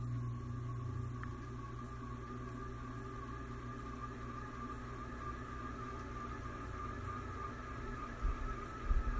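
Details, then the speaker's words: Old ceiling fan in rental house on high, slowly coming up to full speed with steady whir, hum and thin high whine; likely dry, crunchy motor bearings lacking grease. "It takes a little while to come up to full speed, which is kind of Well, that's a sign of the bearing is probably dry."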